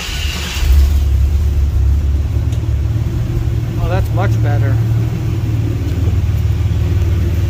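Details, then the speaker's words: 1954 GMC COE with newly mounted Speedway chambered muffler: deep, even low rumble picking up smoothly on the rev and settling back; mellow, healthy normal exhaust note. "this is a Speedway Muffler chambered whatever it's supposed to be kind of like the MagnaFlow Delta 40 but not not as loud"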